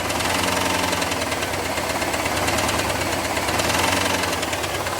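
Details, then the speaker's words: Stethoscope on the valve cover of a V8 IROC Camaro: rapid light valve-train ticking that quickens with revs without getting louder. "Now listen, that ticking's not really going to change. It's just going to get faster when I do this."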